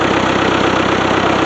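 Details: Old Ford-badged power unit using Long tractor parts, diesel with lift and injection pumps, worn and aged; injectors had been leaking: even, rapid diesel clatter at steady idle, no misses or hunting. Healthy idle.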